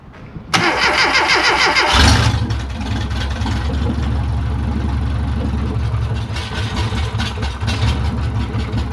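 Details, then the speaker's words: Classic Rover Mini Sidewalk, first start after 14 months off the road and engine work, out of gear, no exhaust or coolant fitted: starter whirr, then a loud, raw, uneven open-pipe idle. Healthy first start. ">> It sounds awesome."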